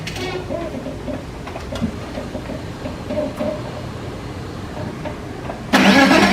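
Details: 2004 BMW 325i project car, exhaust manifold now fully connected after it made noise the day before: steady, even idle with no ticking or exhaust puffing, then a sharp rise at the end; normal idle.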